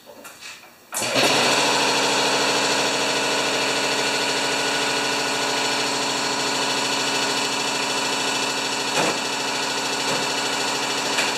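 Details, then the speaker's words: Powermore (Yard Machines) lawnmower, brought in for starting then stalling: catches after a short pull and settles into a steady, even buzz with no misses or surging; no good RPM reading taken, but it runs healthy. "get a good reading on the RPM but it sounds just great"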